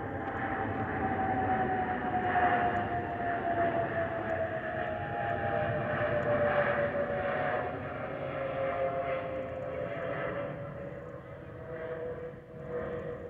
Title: Delta Airlines Airbus A319-114 N366NB DL556 PIT-DTW (FOPP whistling sound)